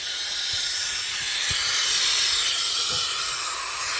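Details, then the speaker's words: Quad that will not start, owner thought it lost spark: leak-down test with the piston at top dead centre on compression; a loud, steady hiss of shop air escapes past the intake valve, which is not sealing. "it's the intake valve let's go a little bit past top bed Center"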